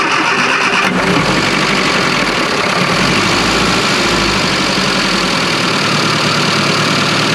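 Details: Classic Mini Clubman Estate left sitting with E5 fuel after plugs were cleaned and compression checked: it cranks briefly and catches, then runs ragged and hunting with a loud, uneven note; owner suspects a fuel problem such as tank sludge or an over-fuelling pump.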